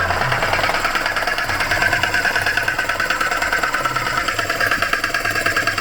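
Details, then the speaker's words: Vauxhall Crossland X idling with a rapid, dry sewing-machine clatter; the air conditioning compressor bearings or its clutch are suspected to have failed. The compressor sounds as if it has no oil in it. "I think we found the culprit. That aircon pump. I think the bearings and that air conditioning pump, or the clutch itself, has failed."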